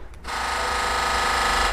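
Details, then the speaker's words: 2013 BMW 328i F30 3 Series, engine bay: a buzzing mechanical rattle of about a second and a half when a door is opened or closed with the engine off, caused by the Valvetronic servo motor. "hey guys if you care for BMW and you have a strange noise coming from under the hood from the engine bay area when you open or close your BMW door listen to that noise now"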